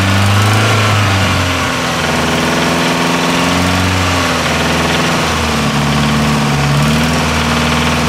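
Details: Nissan S13 CA18DET engine: uneven idle with a dull knock under the drone keeping pace with revs; owner unsure whether it needs a crank grind; source unconfirmed.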